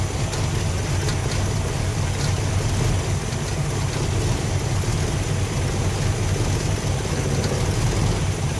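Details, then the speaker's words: Thermoquad carburetor engine at idle before mixture adjustment: low, uneven idle with lumpy, stumbling pulses and hardly any vacuum on the gauge; running rough from a too-lean idle mixture, screws to be turned out. "so you can hear it's running really rough. I don't have hardly any vacuum at all. It's running pretty bad."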